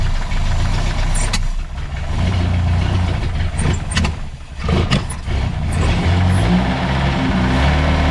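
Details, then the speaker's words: Mercedes Ponton 190 four-cylinder, sat many years, first start; rusted-through oil pressure line spraying oil, some smoke. Steady low rumble with an even four-cylinder beat, no knocks or misses; healthy idle. "but man that sounds really healthy hitting all four real solid"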